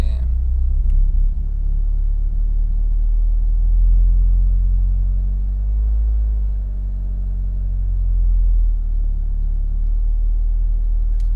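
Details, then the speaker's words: Car on E85 with ethanol conversion box, cold engine on a hot day, box wrongly in warm mode: low idle rumble swelling and sagging every few seconds with no pedal input; cold engine hunting for idle. "Donc voilà, là elle se cherche, elle tâtonne"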